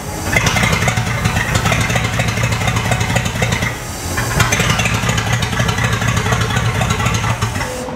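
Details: 1959 Cadillac Eldorado Seville V8 with three two-barrel carbs, first start after priming fuel down the carburetor: it catches and runs unevenly, a lumpy, stumbling beat with a brief sag; rough on this start, smooth later.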